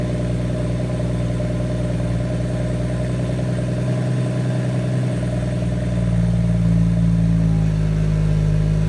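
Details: 2017 BMW M140i xDrive, new, 1000 km, standard exhaust, cold start in Comfort mode: fast idle with buzzy metallic rattle over engine note, pitch shifting as idle changes; strange metallic noise, cause unclear.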